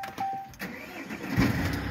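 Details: Jeep Cherokee with hard starting; short starter cranking with a few uneven turns before catching and settling into a rough idle; hard starting.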